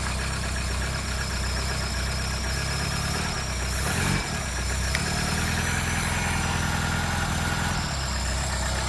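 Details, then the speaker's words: 1980s Vauxhall hot hatch barn find, carburetted, running after long storage with oil pressure near max; smooth, even, silky idle with a steady low hum and no misses, knocks or hunting, engine running sweetly. "How smooth and silky is that? That is mental. That is a smooth idle, my friend."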